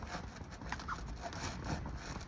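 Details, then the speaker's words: Rans S6 microlight's old fabric skin, UV-damaged and faded, poked by hand gives dry, scratchy creaking and goes straight through; sun-aged brittle covering being replaced with new skins. "can hear it creaking for a start. That's the That's the underside. Top side like that. It's It will just go through. You see that's how that's how the UV damages the skins."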